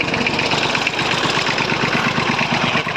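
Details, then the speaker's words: 1950s Massey Ferguson 35 three-cylinder diesel with a leaking fuel pump, just after start-up with smoke clearing: rough, uneven beat with pulses dropping out; owner suspects a misfire, present since new, injectors already swapped. "you can hear no changing see it popping out every now and again starts kicking off and after a while that smoke is gone it sounds a bit strange so I think she could run a lot better if that issue was sorted out"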